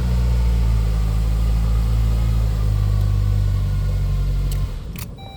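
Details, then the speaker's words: 2003 Saab 9-3 convertible with intermittent, then total no-start: starter relay removed and a jumper wire used to bypass it directly to the starter. The engine catches and idles steadily, then shuts off, which shows the relay is bad. "But basically, let's go here. and the car starts. And take the wire out."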